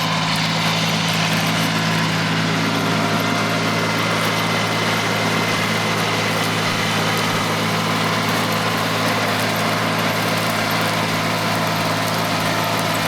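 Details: Mitsubishi MT200 Japanese diesel mini tractor after an engine overhaul, plowing with a hung plow. A deep, steady drone with an even beat and no knocks or rattles; the engine is healthy under load.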